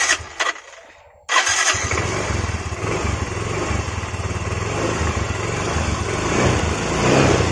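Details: Yamaha Mio Z scooter after soldered wiring repair cleared MIL code 37 (3 long, 7 short blinks): brief starter whirr, then catches at once and settles into a steady, even idle; normal start and idle.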